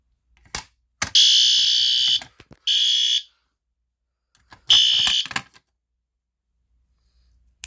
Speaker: Okay, that's very loud.